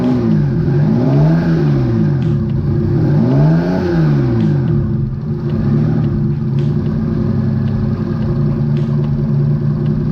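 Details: Engine running for a while after an oil additive: revs swing up and down with an uneven, stumbling beat, as if one bank drops out; misfire, cause unconfirmed.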